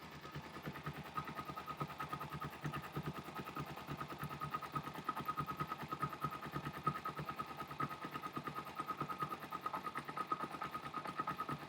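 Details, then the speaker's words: Parallel-twin motorcycle carburetor, cylinder one at idle: pilot jet screw turned inward leans the mixture, and the soft uneven beat sags as the idle drops off; engine dislikes the lean setting before the screw is backed out to richen it. "can hear it dropping off slightly okay i'm turning the screw inward which is creating a leaner mixture it's not really liking that"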